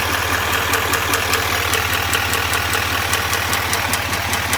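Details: 2021 Duramax L5P diesel at idle: sharp, steady ticking about two or three times a second over a smooth idle; clear top-end tick, cause unconfirmed.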